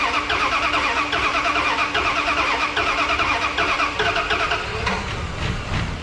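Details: 1991 Dodge W150 on its first start in about 10 years, after a new in-tank fuel pump was installed: the starter cranks in uneven bursts, then the engine catches and settles into a rough but running idle.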